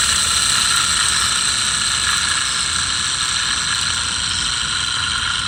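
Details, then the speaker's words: Mercedes S600, removed alternator spun up: loud, rough, hissy whir with a gritty marble-like rolling rattle from bad bearings; the replacement alternator makes no such sound. "the problem here is it works but bearings are bad so let me show you real quick so you know what's happening first I'll spin it up so you hear the noise"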